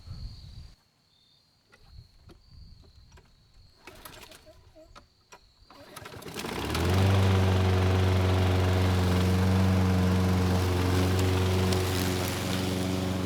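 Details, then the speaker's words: Craftsman lawn mower (model 917.374541) with Briggs & Stratton Quantum engine (128T02-1270-B1), curbside find revived with a new carburetor, cutting three-month overgrown grass: engine catches after quiet seconds, holds steady even drone without dips or misses under load. "I honestly didn't think the more had much of a chance of cutting the overgrown grass but it had no issues it did not miss a beat"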